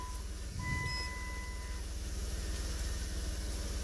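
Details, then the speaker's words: 1995 Chrysler Cirrus with PRNDL and shifting issues, scan tool commanding a BCM actuator test: a clear, steady electronic chime rings about a second over a quiet idle; the body control module chime works normally. "That's your driver door stuff, so we can go like chiming. Yeah, I can hear it chiming from the BCM."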